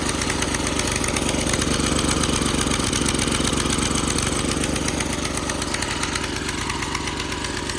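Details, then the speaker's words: 1987 Craftsman tiller single-cylinder engine, revived after sitting 20+ years, at wide open throttle with choke off: fast, slightly uneven burbling firing, possibly a little too much fuel, so it runs rough at full throttle. "Sounds like it might have a little too much fuel. Now mind you, this is set wide open right now, so I want it to be running optimally at wide open."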